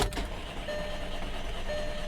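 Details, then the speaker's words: 2007 Volkswagen Passat 2.0T FSI, about 179,661 miles, new battery, salvage car: steady even starter cranking with no catch; cranks but won't start, tach flickers as if about to fire. Cause not yet found. "ut five times and every time it acts like it's gonna kick off and run that tack moves when the tack moves you'll hear it for a split second try to fire it'll just be a real quick but yep yep and then it's done the tackle still be moving but the car will not attempt to fire off after that"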